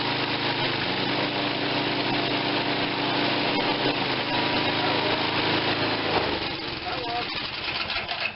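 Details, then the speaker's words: Tecumseh 5.5 hp engine bought with a stuck valve and no compression: a quick, even buzzing run with a steady firing rhythm, easing down near the end; mostly works, and owner plans a head gasket and a compression retest; normal running. "right so mostly it works all right my guess is get it get a head gasket"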